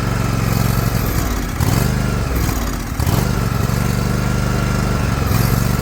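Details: Liquid-cooled Kawasaki twin, John Deere LX178 mower, air cleaner refitted, run in rain to pick up fuel: chugs but sags and stumbles every couple of seconds before recovering; carburetor flooding, fuel filter change planned.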